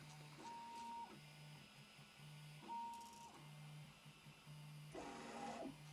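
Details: 3D printer's Y-axis on Drylin plastic bushings after about 800 print hours: short bursts of stepper hum and whine on each quick move, loud and clattery; noisy bushings, so the owner is switching back to the factory linear bearings.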